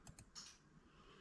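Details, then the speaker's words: 1978 Chevrolet El Camino 4L60E transmission being rebuilt, LQ4 LS engine, pan off: crisp faint clicks as the two shift solenoids are activated on and off (both on first, both off third); normal shift solenoid clicking. "So you can hear them. You see them right here clicking on and off. So third is both of them off. First is both of them on. And you can actually hear them both click in."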